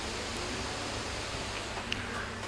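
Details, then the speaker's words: 2019 MacBook Air A1932 stuck at Apple logo with loading bar halfway: steady airy whoosh of the cooling fan pinned at top speed while hung; battery replacement tested next. "Suaranya bisa kita dengarkan, ini lumayan kencang untuk suara kipasnya. Dan itu karena ya muter kipasnya dia cepat, jadi pasti dia mengeluarkan suara."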